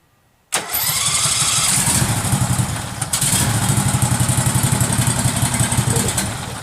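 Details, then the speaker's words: Case 446 tractor at its first start during restoration, after rewiring fixed a no-spark fault with the carburettor solenoid clicking: it fires and settles into a steady, even low putter at low idle with no throttle connected. "theoretically I don't have any throttle so it's at low idle"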